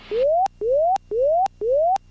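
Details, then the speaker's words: G3X gear warning in a light aircraft descending on approach with the landing gear up: a rising tone repeating about twice a second, each sweep cut off sharply; check-gear warning sounding because the gear is not extended. "All right, that sound is the gear warning system on the G3X."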